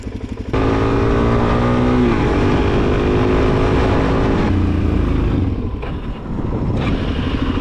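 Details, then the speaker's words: 2001 Suzuki DRZ400S on a test ride, breaking up under load: single-cylinder thumping that coughs and stumbles with a brief power dip, suspected fuel bowl emptying from a dirty carburetor. "It just feels like it's coughing or breaking up a little bit."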